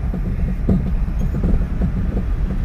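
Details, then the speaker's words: Maruti Suzuki SX4 diesel on road trial, heavy steering noise: low road rumble with irregular dull knocks and clunks while driving, also during turning; steering rack found completely damaged, to be removed. "तर जास्तच आवाज येत आहे suspension मध्ये steering मध्ये cutting मध्येही sound आहे गाडीमध्ये तर या गाडीचा स्टेरिंग रॅक पूर्णपणे डॅमेज झालेला आहे"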